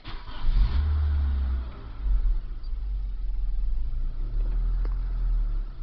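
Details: 2001 Nissan Sentra SE 2.0 rough idle, low and uneven, surging and sagging about every second; owner later replaced the fuel pump (slightly better), then the mass airflow sensor, after which it ran great.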